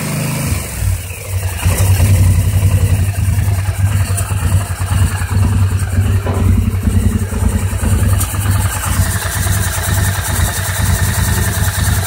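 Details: 2009 850 XP at idle, still rough after throttle cable adjustment and repair of mouse-chewed exposed wiring, cause unknown: lumpy, uneven idle with stumbles, burping and pops; rough idle with misfire and backfiring.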